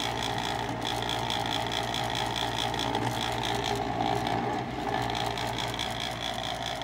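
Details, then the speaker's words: Eight-year-old high-efficiency gas furnace: loud steady whir with low hum and sharp high whine from the worn exhaust (inducer) fan motor; noisy inducer fan motor. "the motor is making a lot of noise they've got fan Lord"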